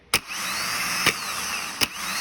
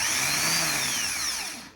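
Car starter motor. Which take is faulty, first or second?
second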